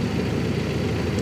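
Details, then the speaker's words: Jeep Wrangler TJ 2.5L first start after spark plug replacement; steady, even idle with smooth low rumble, no misses, knocks or ticks; normal idle. "Seems to be running. Sounding pretty smooth as well."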